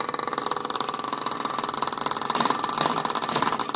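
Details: Haier 1.7 cu ft mini-fridge, under 3 months old: fast steady clattering knock about ten a second while running; something inside banging, cause unknown.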